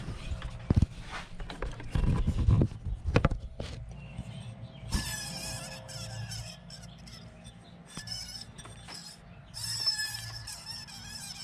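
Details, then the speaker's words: 2003 Mercury Mountaineer with a high-speed squeal: the removed top idler pulley, above the belt tensioner (13 mm bolt), spun by hand gives a thin high whine with a grinding edge from worn bearings. "it's making like a highp kind of a high pitch whining noise so I'm pretty sure we got the Cobra here"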